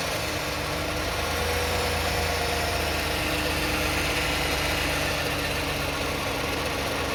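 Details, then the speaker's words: 2009 Toyota Sienna at idle around 1,000 rpm, heard from underneath: even droning buzz from transmission area; flex plate bolts and teeth checked fine, noise persists; torque converter or transmission pump suspected. "Okay. Guys, good. The noise is still on. We expect the flex plate is okay, but something wrong."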